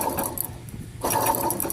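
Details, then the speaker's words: 2003 Ford F-150 4.6, removed water pump spun by hand: rough, gritty growl rising and falling with each spin; worn bearing, pump was also leaking, replaced with a new pump. "hear that weird growing noise is making vary header shot it was actually leaking"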